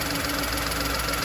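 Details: VW Polo running normally with the check engine light on and code P0068: steady idle with a constant airy hiss. The vacuum leak is suspected at a plastic breather pipe, thought to be worn through by rubbing and vibration against the nearby wiring loom.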